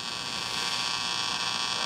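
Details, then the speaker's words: Capehart T-54 radio after some silver mica capacitors were replaced: steady, even loud mains hum with hiss on top, less crackle than before; the remaining mica caps are suspected as the noise source. "we have a loud hum same as before actually it's not as crackly now it's just humming"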